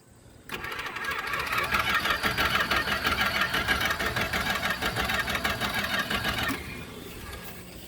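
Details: 1976 Chrysler Newport, first start after sitting about 8 years since 2012–2013: about six seconds of steady rhythmic cranking at roughly three beats a second, briefly catching then dying; won't keep running.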